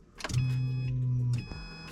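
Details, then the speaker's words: Subaru Impreza with newly installed fuel pump assembly, key cycled on with engine off: about a second of steady low hum as the new pump primes; normal fuel pump priming, with a CD player audible. "yep you can definitely hear it and then you can hear my CD player"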